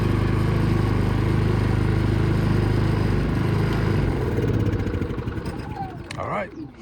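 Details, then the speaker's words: Predator 3500 generator after repair: clogged main fuel hose, whose rubber internals had broken down, replaced with new hose; engine starts and runs smooth and steady at constant speed, then winds down. Normal running, fixed. "so we replaced it with a new hose so let's get this bad boy engaged and see if it starts there it is burning like a little kitten like it never"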